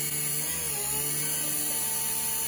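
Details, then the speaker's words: Taig CNC mill, 3/16 end mill cutting full depth in a 3/8-inch heatsink at 51 in/min with 0.030-inch step-over; spindle at 9000 rpm (4500 motor, 2:1): steady high whine with cutting chatter dips slightly under load but recovers, no bogging. "you can hear the motor right about there the motor loses a tiny bit but it it doesn't bog down too much"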